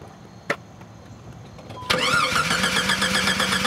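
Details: Jeep with a cranks-but-no-start, no fuel pressure fault; spark and injector pulse checked, pump power and ground tested: a click, then steady cranking about four beats a second that never catches, pump not running.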